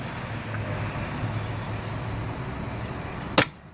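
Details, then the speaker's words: Brake booster held in hand: vacuum pulled off, wait, then check valve pulled; steady hiss then a sharp rush of air and quick fade, can holds vacuum with no leak, though the booster fails to return to rest and needs a rebuild. "And we're just going to check this can integrity and see if it's got any leaks, which is always a positive thing, even though we've got to take it apart."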